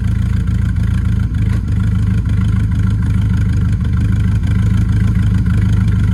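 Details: Camaro V8 before first drag strip run, idle lopes unevenly with beat dropping out and choppy exhaust pulse, seems firing on six or seven cylinders and down on power; misfire, fresh spark plugs planned to try.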